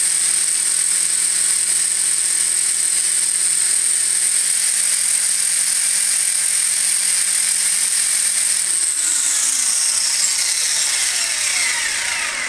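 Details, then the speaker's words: Furion 6 helicopter with iKON flybarless governor, Hobbywing RPM sensor, Castle HV ICE II 120 ESC: constant rotor hum holds fixed pitch without surging, then winds down smoothly; prior headspeed rise-and-fall hunting in all flight modes didn't recur. "and obviously now that i've done the video it's not doing it so hopefully all is okay"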